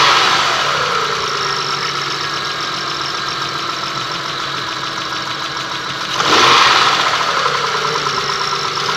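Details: 6A13 engine, slightly warmed, idling, recorded in the car: light metallic knock over the engine with a brief rev blip midway; knocks when warm, cause undetermined.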